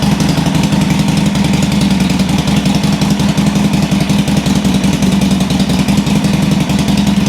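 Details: 2007 Sportster 1200 Custom on a lift, in neutral, after a no-crank complaint. Loud, lumpy V-twin idle with an even loping beat and no ticks or knocks. Charging measured 13.4–13.5 V, so the stator and rectifier are fine; the battery lacked cold cranking amps.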